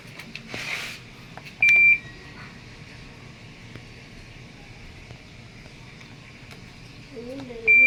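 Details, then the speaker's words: TCL automatic washing machine: two long high beeps about six seconds apart flagging E3 error; water not draining, no rinse or spin-dry function. "so E3 ang arrow usually lumalabas yan kapag spin dry o rin Hindi nga siya nalabas e hindi nalabas ang tubig"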